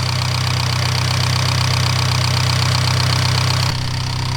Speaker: you guys are wondering what that noise is, it's normal. It's this high pressure Fuel injector. I have upgraded fuel injectors.